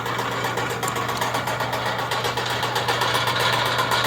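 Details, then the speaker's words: Fully rebuilt DMC 40 Hi-Cap rotary grain cleaner, rewired, auger drive and in-feed auger running, bearings good: a steady hum with an even churning beat about four per second; normal running. "Hit the switch, it'll fire right up. Comes right along, there are no irregular noises."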